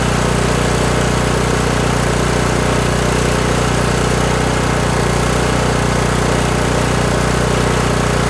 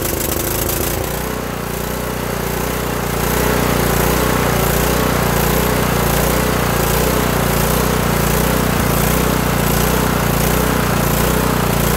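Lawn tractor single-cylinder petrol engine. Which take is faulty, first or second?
second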